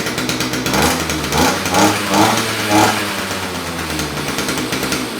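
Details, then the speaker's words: Non-starting 2-stroke electric-start string trimmer after carburetor cleaning, primed and on choke, cutter head off: buzzes and surges unevenly but keeps running; fixed, starts and runs. "Okay, I don't want to run it too much without the cutter head on there, but it looks like this thing's working."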